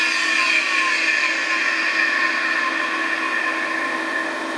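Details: Classic Digital (DEC) hard drive running in a special holder: steady high whine with several thin tones and a faint rough hiss, no low hum; sounds off, owner considers cleaning it, cause unclear.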